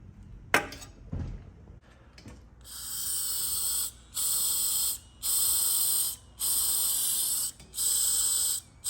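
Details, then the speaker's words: 1937 Harley-Davidson Knucklehead Linkert carburetor float and needle valve after fixing a hanging float, blown through: five air bursts each cut off cleanly as the needle closes; needle valve sealing normally. "blow through the float and you can hear as I open and close the needle valve, which allows the fuel in and out of the carburetor."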